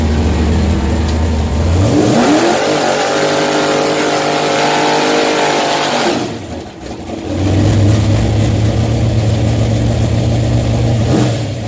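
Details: Automatic transmission slipping in high gear: engine revs climb sharply without matching pull, fall back, then flare again under throttle.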